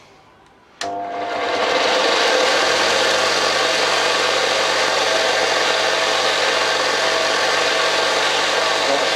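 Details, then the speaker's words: New replacement Parkside bench grinder with sanding belt, first unloaded run: steady high-speed whir with light rasping edge, no heavy rattle, less rattly than the previous unit; healthy enough. "This is not, you can hear the noise coming from that, but it's not as rattly as the other one."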